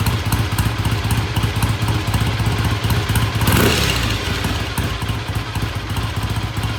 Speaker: all right black sounds good starts good idle's good I'm going to call it good pending a um test ride which we may do tomorrow